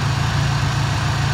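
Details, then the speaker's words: Ford Ranger: low, even idle burble with a steady beat and no misses, knocks or surging; runs perfectly, though it leaks antifreeze from a bad radiator cap and sometimes revs briefly at startup. "I mean, sit here and listen to it idle. Runs perfect."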